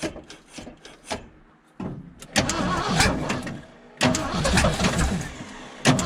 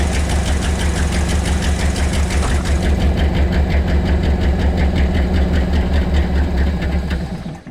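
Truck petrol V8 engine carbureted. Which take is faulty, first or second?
second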